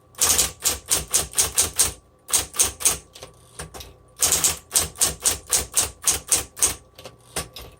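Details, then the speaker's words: 1960s Smith Corona Coronet electric typewriter, repainted: crisp, even keystrikes in quick bursts of about four per second over a low motor hum; normal healthy typing. "The Smith Corona electrics from the 60s and 70s are what I recommend for kids, because there's a lot of kids interested in typewriters, which I think is awesome."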